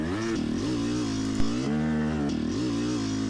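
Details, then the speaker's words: Yamaha YZ250X two-stroke, riding: raspy tone holds on top, then abruptly drops pitch and goes flat coming into the mid-range, no mid-range power; sticking power valve. "trying to come down to the mid-range and then an abrupt grossness and then that abrupt change is really the signature that's the power valve slipping off of its uh held up state"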